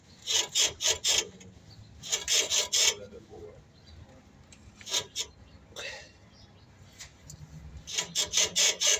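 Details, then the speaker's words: Toyota Hilux shock absorbers worn out, dry raspy squeaks in quick bursts as the suspension is worked; squeaking and clicking all the time when driving, so the shocks need changing. "shocks are squeaking all the time so it's time to change the shocks"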